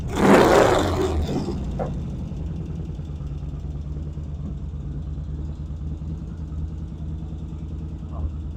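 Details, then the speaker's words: 1975 Norton twin after fixing undersized throttle cables from splitter that held the carburettor slides up: after a blip it settles into a steady, even low idle thump with no misses or knocks; normal idle. "All right, it sounds good. I'm going to let it sit for a while. Check for oil leaks. Well, I finally got a good idle."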